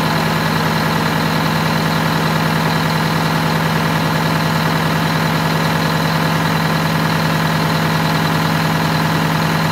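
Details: Wanderlodge bus Detroit Diesel 8V92TA after low-boost fix (new injectors, new turbo, new air filter, correct oil): steady even beat about 200 pulses a minute, smooth drone, no misses or knocks; healthy idle.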